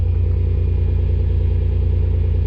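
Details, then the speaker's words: Supercharged Pontiac Grand Prix idling after fuel pump replacement; it previously died after a few minutes of running. Deep, steady low rumble with no stumble or dropout. A slight power steering pump whine is noted. Normal idle. "well she's running hopefully it stays running for a little bit longer here"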